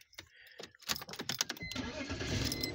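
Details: 2000 BMW 328i towed in with no crank, no start (dash lights on); battery, starter and ignition switch replaced without effect, fixed by cleaning the EWS box. Keys rattle, the starter cranks briefly and the engine catches cleanly into a steady run.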